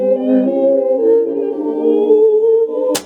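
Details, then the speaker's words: Cassette player from a used job lot playing a Mozart tape; the music wavers and sags, notes wobbling unevenly, then a clunk; wow and flutter from a perished drive belt; the unit also has a faulty volume pot. "this does move the tape but uh clearly the belt is Cactus because it's all wobbly and terrible that was to be expected"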